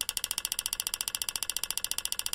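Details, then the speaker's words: Front-wheel-drive car with P0442 EVAP code, old purge solenoid driven by scan tool bidirectional test: sharp, crisp, loud even clicking about ten times a second; purge valve confirmed faulty by vacuum test. "all right that sounds hey that sounds quite different that it's not as clicky the other one was clicking much louder than this"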